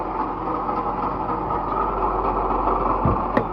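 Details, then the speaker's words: Proton Waja petrol engine idling before water pump replacement: coarse, gritty rumble running steadily underneath, like a failed water pump bearing; water pump bearing noise. "dia bunyi dia kasar macam bearing water pump tu dah rosaklah."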